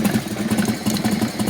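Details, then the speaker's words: 1996 Harley-Davidson Softail with an EVO V-twin at idle: a loose metallic rattle rolls through a lumpy idle, like a metal ball rolling around inside the engine. Source not pinned down. "you hear it that sounds like there's a metal ball rolling around inside my engine ah that doesn't sound good"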